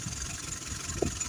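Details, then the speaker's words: Engine idling after a power steering pump repair; the pump pulley had not been turning and was making noise from inside. Smooth, even idle with a steady low hum and no knock, whine or grinding: normal idle after repair. "Böylece direksiyon pompasını yapmış olduk Herhangi bir sıkıntı gözükmüyor"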